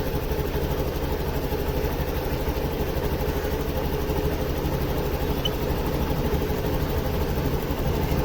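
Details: Honda Activa 6G with earlier misfire and rough running, after O2 sensor checked and fitted, verified by multimeter and scanner: steady, even idle putter with a low smooth hum and no misses or knocks; healthy.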